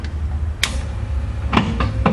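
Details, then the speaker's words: Windshield washer pump test after wiring new pigtail, switches off: low motor hum with a few sharp irregular clicks; owner suspects broken plastic piece on pump or coil not engaging, not confirmed. "I think the washer pump make that broken piece of plastic that clicking you hearing them"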